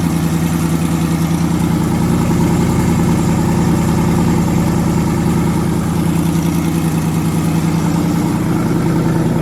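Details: Twin-turbo V8 truck, first start after the twin-turbo conversion with fuel line retightened and no boost controller yet: deep, steady idle with even unbroken lope and no missing beat; all eight cylinders firing cleanly, normal idle.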